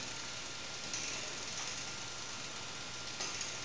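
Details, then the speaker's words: Bicycle rear derailleur pushed into the lowest gear with the low-limit screw too far out: two sharp metallic pings over a steady hiss as the mechanism catches on the spokes. Fixed by turning the screw in half a turn at a time. "If the screw is too far out, the gear will catch on the spokes. You can hear that pinging noise."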